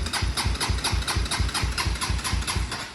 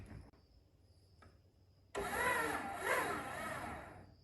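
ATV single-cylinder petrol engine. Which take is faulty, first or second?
second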